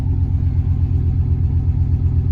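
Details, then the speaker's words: 1996 Chevy Silverado OBS 5.7 V8 after cleaning the idle air control valve and replacing its O-ring, started cold on a roughly 55°F Texas morning: steady, even low rumble, no misses or hunting; smooth normal cold idle. "so we're gonna fire it up and uh see how she idles oh gotta burn that stuff off real quick there she goes idling pretty smooth cold"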